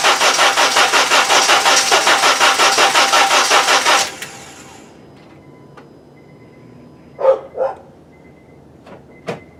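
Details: Honda GX engine running on CNG natural gas, cold weather: steady starter cranking, nearly three turns a second for four seconds, never fires; hard-starting, cranks but won't start.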